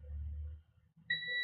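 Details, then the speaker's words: Garage door opener control board, continuity test: quiet pause, then a steady high beep – voltage regulator tab and output still shorted; pin three also still shorted, owner fears the chip it feeds is damaged, board may be unfixable. "Yeah, it's still shorted."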